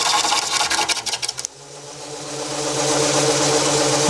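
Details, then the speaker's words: Wood lathe spinning a rough blank being cleaned up for twice-turning: rhythmic thumping about four times a second from an off-balance bark section making the lathe bounce, then a smooth rising motor tone. "What's making it bounce is that bark section."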